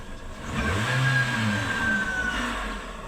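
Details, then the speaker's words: Toyota Vios 2018 CVT engine revved: a thin whirring whine rising over it, from a worn water pump bearing, confirmed by spinning pulleys with the drive belt removed; alternator and tensioner fine. "Malakas na rin talaga yung ingay niya pag ni-rev natin."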